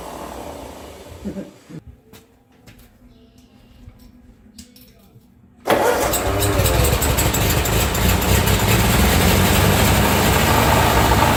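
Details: 1945 Ford 2N loader tractor after rewiring, fueled, a little throttle: near-silence, then it catches abruptly and runs at a steady even idle of about four beats a second; oil pressure about 10, charging; clean start.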